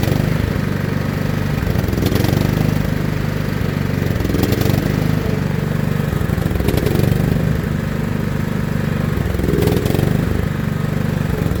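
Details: John Deere L110 lawn tractor's small engine, revived after sitting three years with its carburetor removed, runs at a steady, even putter with no sputter or dropouts; it runs cleanly on the fuel.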